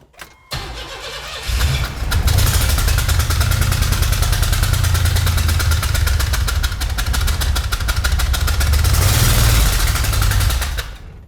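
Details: Junkyard 4.3 V6 turbo engine on first fire-up after rebuild starts and idles roughly, with a sharp puff about four times a second; first thought to be an exhaust leak, then probably the missing number one spark plug.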